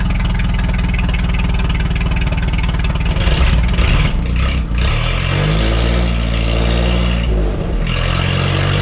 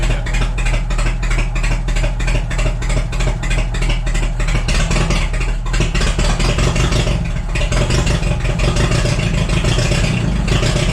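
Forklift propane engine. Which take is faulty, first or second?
second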